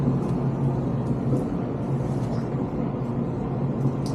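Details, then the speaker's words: Whirlpool dryer after a new drive belt and tensioner were installed, running: low, even rumble with no squeal or chirp, where before the squeal was audible from the backyard; normal operation. "much better it was so bad that when I was in the backyard in the backyard out this window right here messing with the chickens I could hear it squealing it was so loud"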